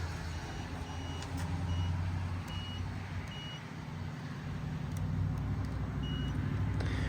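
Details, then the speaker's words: 1998 Chrysler Town & Country no-start, checking fuses with tester, engine rumbling: short high beeps on one side of fuse only; blown fuse. "okay we found another fuse that it's bad see we have a beep on one Right. And then nothing on the other side."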